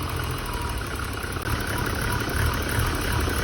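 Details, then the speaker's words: Barn-find BMW 635 CSI after fuel pressure regulator fitting and idle valve adjustment: fairly steady idle with slight occasional lope, acceptable but not perfect; air leak near air mass meter pipe suspected, temporary meter repair doubted. "I've just been twisting this idle valve and it seems to be idling better almost there now it's almost where it need to be"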